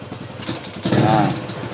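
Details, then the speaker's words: Honda Supra Fit X motorcycle, already serviced with carburetor cleaned: idles fine but dies when throttled, uneven idle and a blip that swells then sags; leaking carburetor seal and loose jet holder causing an air leak. "ya penyakitnya ya untuk hidup enak langsung Nggak ada masalah ya langsam ya Tapi saat kita gas motor ini mati Mas"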